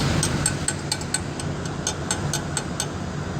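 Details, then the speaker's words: Truck air drum brake after slack adjuster adjustment, parking brake released, engine idling: quick metal taps on the drum now give a bright ringing tone instead of a dull sound, meaning correct adjustment and brakes won't drag. "the tapping tapping sound now if I got a if I don't have my dull sound anymore I got more of a ringing ringing tone means I got I have the corrected adjustment and my brakes won't drag"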